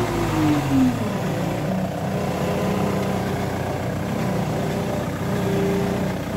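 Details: Ford Mondeo engine running with a faint, constant low whine from a failing power steering pump.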